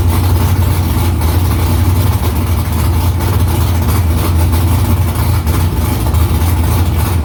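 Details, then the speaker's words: V8 idling through newly installed headers with exhaust back under the car, first start after about three weeks of work. Deep, loud, even rumble with a steady lope and no ticks or knocks; louder in-cabin with seat vibration. Smoke is drying header silicone. Normal idle. "i mean definitely in the car i could hear a lot louder under the seat i can feel the vibration of the exhaust being under cars a lot quieter up here"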